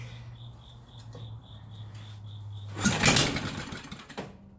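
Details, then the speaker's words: 1974 Briggs & Stratton 8 hp 190402 engine: faint hum, then rough burst as it catches for about a second and dies; fires only on starting fluid; runs only on starting fluid. "Throw a little bit of that love juice up in there. Y'all hear it?"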